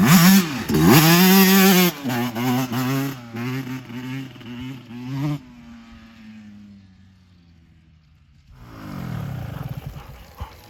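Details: 2024 Yamaha YZ125 two-stroke after new FMF pipe and silencer, JD jetting kit and Castrol full-synthetic oil to cure jetting problems and fouled plugs: sharp blips climbing quickly and cleanly then settling to idle, no bogging or misfire; power band hits quicker and harder, idle still slightly high.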